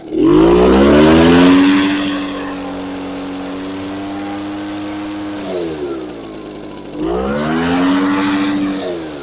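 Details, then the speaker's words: Echo PB413H two-stroke backpack blower on a new aftermarket Chinese carburetor, just adjusted with high speed slightly rich; snaps cleanly from idle to high revs, holds steady, drops back and picks up without stumbling; healthy idle-to-full-throttle transition. "It transfers high and low pretty good, so I'm not going to worry about that."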